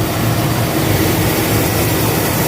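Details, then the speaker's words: John Deere combine started on a frosty morning to check the squeaking tailings chain after fitting a new sprocket and slightly tightening the chain, heard from the cab: steady low engine drone with even mechanical hum, no squeak or rattle, running normally. "We're going to start it up and just see if everything sounds okay on that tailings chain. Actually, I'll probably get out and look too, but sounds okay from here."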